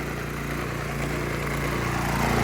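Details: Generac One Wash pressure washer with a Honda-clone single-cylinder engine, in use since 2015: it starts in one pull and settles into a quick, even putter while warming up, running fine.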